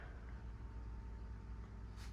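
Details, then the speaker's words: Fuel pump on a 2018 Mahindra Roxor turbo, key on and engine off after sitting a couple of days: a quiet, steady one-pitch electric hum as it primes the lines. Priming took quite a while, then the engine started right up. "You can hear the pump running. Put that in neutral. Wow, yeah, it took quite a while to prime up."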